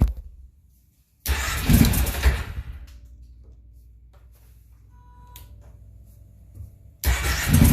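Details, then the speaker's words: Kawasaki Prairie 650 V-twin ATV with dual carbs, after fixing fuel flow problem, cold, no air filter, fuel pump audible: catches sharply then settles to quiet even low putter, no misses; normal idle. "there we go runs great and that's without the air filter you can see the dual carb yeah it's a little cold right now"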